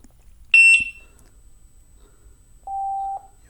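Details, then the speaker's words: Gotway EXN electric unicycle opened up, fan exposed after the wheel fell over: two high power-on chirps and a steady lower tone, with the fan's test spin clean and quiet, no rubbing or rattle, shell off. "it does a little test spin of the fan and you don't hear anything"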